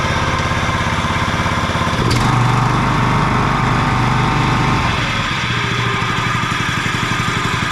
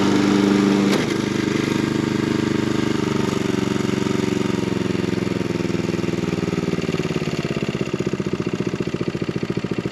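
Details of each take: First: John Deere 14SB mower, first start after sitting, new fuel line and filter, 10W-30 oil: loud steady run with a rough, uneven rumble; bad blade brake clutch bearing noise, later fixed with 6205 bearing. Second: Garage-sale John Deere 14SB mower on a test run after cleanup, a new fuel line and a new 6205 blade brake clutch bearing. The small single-cylinder catches and settles into a steady, even putter with no knocks or scraping; healthy.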